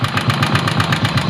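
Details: Motorcycle engine at idle with a regular rapid pulsing, about seven beats a second, each with a sharp tapping edge; abnormal engine noise, cause unclear.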